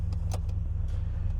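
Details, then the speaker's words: 2012 Ford F-250 6.2L gas V8, about 274,000 miles, warm idle after the oil pressure switch/sending unit replacement: a deep, smooth, even rumble with only light background clinks and no knocking or ticking. Oil pressure is good at low RPM. "At even low RPM, oil pressure still plenty good. We're up to temperature."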